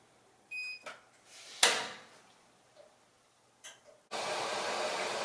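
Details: Maytag Epic Z front-load washer after drain pump replacement, small load on normal cycle with extra rinse: three-tone beep and a few clicks, then a steady rush of water; normal fill.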